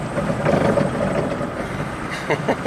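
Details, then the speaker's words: 2003 Kia Rio with 30,000 miles on test drive: over road noise, sharp uneven clunks as it hits bumps from the completely worn front right strut with no damping; left strut still okay. "By the way, the horrendous strut noise on the bumps. This front right strut completely wasted. There's no damping going on at all."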